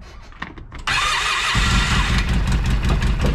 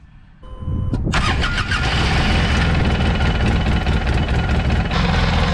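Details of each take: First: Polaris RZR 800 after rod bearing repair, small petrol engine cranks, catches and settles into an even idle with no knocking. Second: Polaris RZR 800 after a short chime cranks and settles into a rough idle with a dull knock underneath; owner first blamed the worn clutch, then suspected bad rod bearings and opened the engine.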